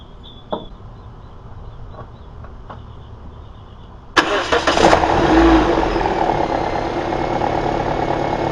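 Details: 2009 Toyota Corolla after alternator replacement and belt tensioning: after a few quiet seconds it cranks, catches and settles into a smooth steady idle with no squeal or grinding from the belt side; previous hideous noise gone.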